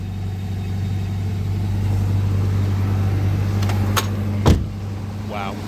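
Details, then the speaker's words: Toyota 22RE replacement long block from a '92, 204,138 miles on the truck, good oil pressure and quiet exhaust, idling with an even low hum, injectors faintly audible, no ticking or knocking, brief outside bangs; healthy. "sounds quiet oh my God I think I can even hear the injectors"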